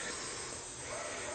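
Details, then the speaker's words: Steady, even hiss with no rhythm from compressed air escaping at one hardware-store connector on the filtered shop air line feeding a Hypertherm Powermax 30 plasma cutter. "you can hear it hissing cuz I have one connector over there that we got from Home Depot that's"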